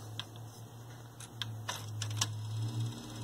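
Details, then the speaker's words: Sony TC-WR820A dual cassette deck after transport service with new belts and gears, bench test with tape-detect switch pressed: crisp clicks as heads engage, reverse, fast forward and rewind over steady low motor hum; normal cassette transport operation. "it engages there goes into reverse we've got root fast forward got rewind that's good"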